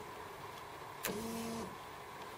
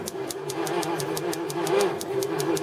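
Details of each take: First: 1981 Jaguar XJS not run in six years, injectors disconnected, ignition switched on: a click, then a clean, steady hum of about half a second. The fuel pump primes normally. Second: 1981 Jaguar XJS, not run in about six years, spark just restored, cranking: labored even pulses about five a second, never catching; slow cranking, owner suspects battery run down from long sitting.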